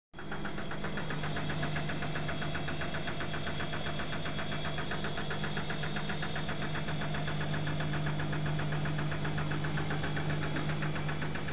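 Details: Washing machine on Cottons 40 during intermediate spin: steady motor hum under fast, uneven knocking rattle about four times a second, machine jumping and banging.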